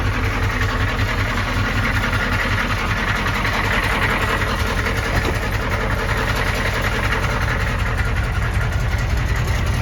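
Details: 1993 M998 HMMWV, 6.5L NA Detroit Diesel, cold idle before teardown: dull uneven bottom-end knock two to three times a second under the clatter; engine sucked in water and lost compression, owner assumes hydrolock bent a rod, unconfirmed.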